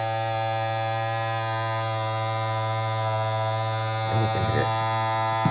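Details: Andis Masters cordless clipper, blade just reinserted and pushed down, giving a steady electric buzz with a strong low hum and a few brief scrapes near the end, at its usual out-of-box loudness. These clippers get super loud after months of use.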